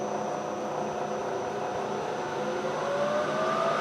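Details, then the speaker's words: Bridgeport milling machine head, rebuilt with new bearings, high speed selected with the bent spindle disengaged, microphone close; steady even hum with smooth whine rising with speed, no knocks or grinding; normal running, spindle disengaged. "it sounds [Applause] great there's nothing wrong with it everything is running just fine"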